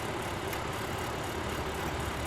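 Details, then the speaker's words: 2001 Dodge Cummins diesel with new AirDog FRRP lift pump, bumping the key to bleed air from the lines. The pump runs with a constant, even hum and no surging or cavitation rattle while it primes and waits for fuel. Normal lift pump operation. "can hear the pump running. We're just looking for fuel."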